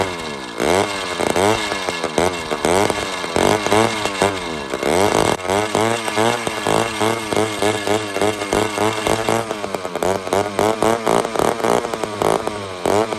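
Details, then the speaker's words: Old chainsaw with a removable head and a badly deteriorated carb, spark present, given a little fuel: revs surge roughly twice a second, never settling, sounding lean. Owner suspects a bad fuel system, possibly an air leak; source unknown. "We got a FUBAR fuel system. We could be sucking air, which is a very, very possible."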